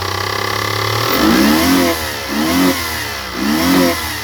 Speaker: That was up to the rev limiter. She's got 69,000 on it. So, man, that sounds bad, don't it?